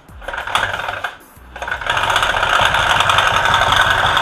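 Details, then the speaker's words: Honda Click version 1 scooter at idle with the dirty CVT cover off: a fast, uneven flapping beat, about four slaps per second, over the engine. The helicopter-like noise comes from the drive belt slapping hard. "Palong-palo yung belt. Alright. So, ngayon, alam na natin kung saan nanggagaling yung palo, di ba?"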